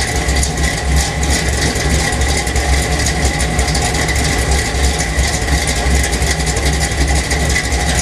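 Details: 1977 Chevy Silverado K10 with 406 small block, Crane Energizer 302H cam, 750 Holley double pumper, Weiand intake, 64cc heads, flat-top pistons, MSD distributor, 1 5/8 Dynomax headers, 2 1/2 in Flowmaster exhaust: loud lumpy uneven loping V8 idle that never smooths out, rough idle.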